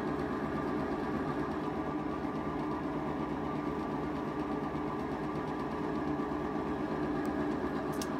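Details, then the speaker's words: Whirlpool top-load washer on drain and spin after repairing a banging problem, spinning with a steady, even hum and no rattling or banging from the drum. Normal spin cycle. "let's put it to the test drain and spin you go see it spinning like a champ now and then like it's him no rattle"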